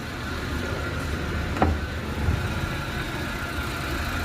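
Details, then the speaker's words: Maruti Eeco petrol engine after a complete rebuild, run for one to two hours: a smooth, steady idle with only faint, clean injector ticking and no knocks, misfire or hunting. Normal idle. "જોઈ શકો છો કોઈ જાતનો sound કહેવાય ને નામનો sound નથી. જે આપણે ઇન્જેક્ટર આવે ને હાવ માઇનર અવાજ આવે તો ઇન્જેક્ટરના અવાજ પણ ચોખ્ખા કમ્પ્લીટ સંભળાય છે."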